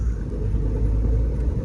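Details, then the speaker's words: 1997 Honda Civic LX 5-speed manual at 362,000 miles, driving: a deep, steady low rumble that stops when the clutch is pressed and has grown louder over the years. An internal transmission bearing, not the throwout bearing, is suspected. "And then you can hear that it's not a throwout bearing, but it's an internal transmission 5-speed bearing."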